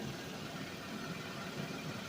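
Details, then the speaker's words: Suzuki Vitara that sat 13 years, first run with fuel from a bucket, smelling of rotten gas: engine settles into a steady, fairly smooth idle with no obvious knocks or misses; normal idle. "So basically guys, yes, it does run. And will it run? Absolutely."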